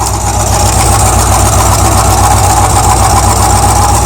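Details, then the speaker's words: Idling car with a loose metallic rattle from underneath, traced to a broken catalytic converter whose internals move when tapped; the top end has no valvetrain noise, and there is a slight exhaust leak. "it was loud it was like just when I was tapping with the screwdriver like a pow pow pow that's how it was you can hear it move"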